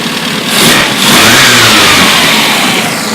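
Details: Freshly rebuilt 1380cc torquey street Mini engine with a Cooper S remote-shift 3-synchro gearbox, test-run with a test alternator and test exhaust. It fires straight up and blips crisply, steady with no ticking or rattles. Normal engine running.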